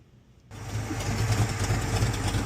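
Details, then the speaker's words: 1978 Chevy Monte Carlo V8, after a carburetor swap (no longer running rich) and replacing a kinked brake line: it catches and settles into a steady, even idle with no knock, tick or stumble. Healthy engine. "Like I said, this motor sounds healthy. It runs great. No issues with it,"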